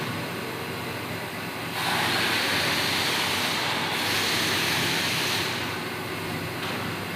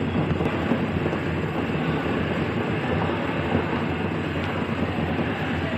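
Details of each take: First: Samsung washing machine after repair, spinning at full speed 700 RPM: smooth, steady, even rushing spin with a gentle swell, no knocking or scraping; now normal. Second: Samsung washing machine spinning at 700 RPM before repair: steady heavy rumble with rough rattling drone, no pitch change; the spring basket mount's screw holes were worn, so the drum was loose, fixed by taping and tightening the screws.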